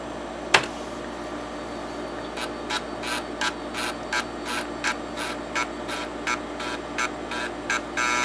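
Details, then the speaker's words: TEAC FD-505 combo drive, 5.25-inch drive B head seek test: short even buzzing seeks about every third of a second over spindle hum; slight noise but normal. "Okay, well, that head also appears to be moving okay, and like the 3.5, it also has some slight sound with it, but it doesn't sound too bad."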